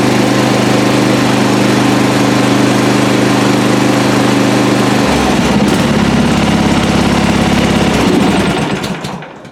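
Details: Lawn mower single-cylinder engine started on recovered 12 V lead-acid battery runs with steady even chug, no knocks or misses, before shutting down; healthy, charging system 13.5 V.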